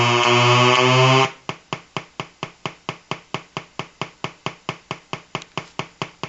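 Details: Colour-changing LED bulb on 4.5–6 V DC batteries: loud steady buzz dropping into sharp electrical ticks about twice a second, pulsing as colours step; interference noise from the LED driver.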